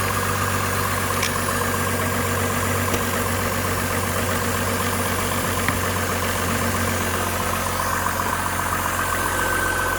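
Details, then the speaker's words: 2005 Buick Rainier petrol six after fixing a misfire (flashing check engine light), with the old coil replaced and codes cleared: steady, even idle with no skips or stumbles. "Looks to be running smooth."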